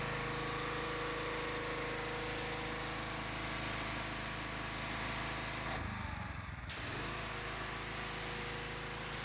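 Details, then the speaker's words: Gas power washer engine, previously rough, cutting out and low on power (a new spark plug didn't help), after the fuel line and filter were serviced: steady, even note while spraying with one brief dip; now runs smooth and strong under load. "you can notice a difference in the way it's running much stronger much smoother"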